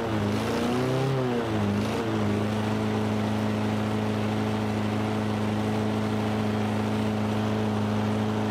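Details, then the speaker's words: Toro Recycler 22-inch mower engine: speed swells and dips unevenly, sputtering and kicking for a couple of seconds before holding a steady drone; owner doubts water in the fuel, improved after turning up the speed setting. "so hearing how that was running there for a minute kind of sputtering and kicking and stuff i don't think there's any water in the fuel"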